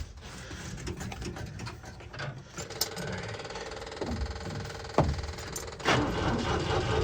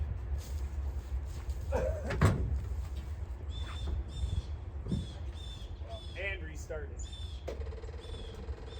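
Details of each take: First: 1966 International Scout four-cylinder, sat for years, cold weather: even churning crank at starter speed that never catches; owner suspects no spark, oil pressure rose slightly; cranks but won't start. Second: 1966 International Scout four-cylinder snowplow, sitting about three years: quiet outdoor sounds, then the engine catches abruptly and settles into a steady run; starts easily, normal start.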